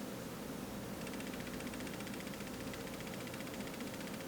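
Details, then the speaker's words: Canon EOS R6 on firmware 1.4, servo autofocus with native lens, shutter half-pressed on a light stand: rapid fine ticking chatter over soft hiss as autofocus hunts hyper-aggressively; possibly a firmware glitch, unconfirmed. "you hear that chittering now all i'm doing is just holding down the shutter button half halfway and trying to focus on that light stand now for some reason it seems to be like almost hyper aggressive with its auto focus at this point"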